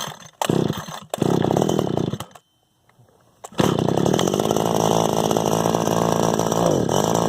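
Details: Echo SRM 2100 two-stroke trimmer just after replacing carburetor, fuel lines, purge bulb, filters and spark plug; cuts out, restarts, then steady rasp that sags on throttle; owner suspects low-jet carburetor tune needed for bogging.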